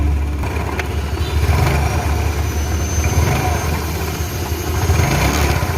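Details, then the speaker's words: Yamaha Mio Sporty scooter idling: rough uneven rattle ("tek tek") over the low engine note from the CVT, attributed to worn clutch shoes and damaged pulley from long use. "Oke, kali ini kita punya Mio, yang mengeluarkan suara berderak, suara berisik."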